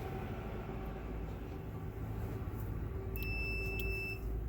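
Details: Multimeter set to continuity while troubleshooting a parabolic dish space heater's switch (buzzer alarm wouldn't shut off): clean steady high beep holding about a second over room hum, confirming the tester's continuity check works.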